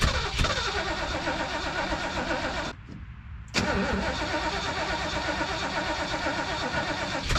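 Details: 1973 Mercury Grand Marquis Brougham, 429 Ford V8, C6, 55k original miles, long-sitting, fed from a primed boat tank: starter churns steadily, pauses, cranks again without catching; cranks but won't start.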